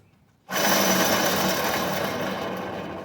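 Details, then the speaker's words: Rusty pickup's driver-side wheel bearing, which rumbled while driving, removed and spun by hand: harsh, steady gritty rasp that continues as it coasts, unlike the silent new one; worn wheel bearing. "no se diga más a ver si con esta Se aprecia mejor ahí está el escándalo el escandalera"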